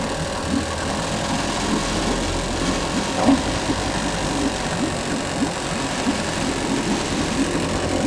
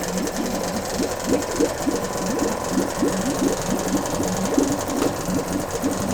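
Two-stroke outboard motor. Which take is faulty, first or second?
first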